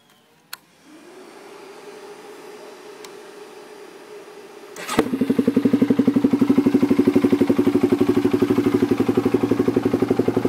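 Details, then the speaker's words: 2004 Polaris Predator 500 ATV: the starter whirs, then the single cylinder fires and settles into an even, steady thump of about four per second with no odd noises; it sounds healthy. "[Music] that's how it sounds sounds pretty good and there's the video of my 2004 poers Predator 500"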